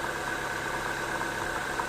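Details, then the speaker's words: A/C compressor pulley bearing whining: steady high-pitched whine over an even idle, unchanged with engine speed; pressing on the bearing confirms it, no play in the pulley. Greasing the bearing cured the noise and the compressor now engages cleanly. "ребят Кто бы мог подумать что шум издаёт вот этот вот подшипник слышите давлю на него А так не люфтит ничего шкиф компрессора кондиционера а звук"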